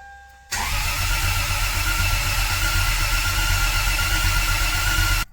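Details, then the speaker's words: Rebuilt Toyota 2JZ (GS300 spare) after a first home rebuild: starter churns a steady four beats a second for about five seconds, never catches. Owner swears everything was set to top dead center, yet cam timing is suspected wrong. "sound a bit odd not sure what that whole like rare rare is about because everything should be timed well"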